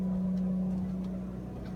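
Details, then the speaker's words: RV generator running, not on shore power, as air conditioning is switched on: steady droning hum that sags slightly and settles as AC load comes on; generator running normally under load. "You'll hear the generator cycle a little bit because it's now drawing more power."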